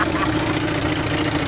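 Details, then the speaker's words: 1968 Chevy C20 pickup, 307 V8 parked 30 years in a barn, new battery, plugs and fresh fuel, started on primer with electric fuel pump off: catches immediately and holds a steady, even idle with no knocks, until fuel runs out. "I told you. Fired up immediately."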